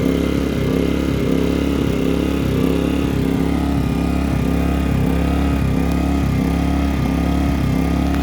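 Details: Pulsar inverter generator surging: engine speed dipping and recovering in a steady restless pulse; simple fix was a damaged gasket, air leak, found while removing and cleaning the carburetor.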